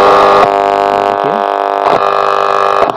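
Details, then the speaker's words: National Panasonic RX-1490T radio cassette recorder (MW, SW1, SW2, no FM) on shortwave during servicing. A steady, even hiss with a faint hum and tuning clicks, no crackle or dropouts; the radio works fine, and only the reel-winding pulley is faulty. "तो दोस्तों, radio बढ़िया काम कर रहा है। Radio में कोई समस्या नहीं है।"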